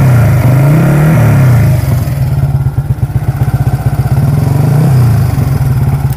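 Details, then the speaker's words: Yamaha R15 V3 (155 cc single) at idle: quick, even ticking about four per second, a dry cricket-like chatter from the top end, attributed to worn rocker arms from poor oil supply. "Ya jadi suaranya kayak gitu, kayak trik tik tik tik tik tik tik tik tik tik. Nah itu kayak ya orang bilangnya suara kayak jangkrik sih, kayak suara jangkrik gitu. Tapi itu sebenarnya adalah suara rocker arm."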